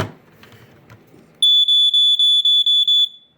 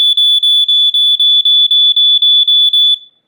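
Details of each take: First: Sunbeam 45 7A smoke alarm during unboxing: a shrill high chirp pulses about eight times in under two seconds, then stops. The horn went off unexpectedly while being handled; cause unclear. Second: New Sunbeam 45 7A smoke alarm with piezo horn, unboxing test: loud piercing high beeps about four per second, a dozen in three seconds then stopping; alarm sounds normally with a pleasing pitch.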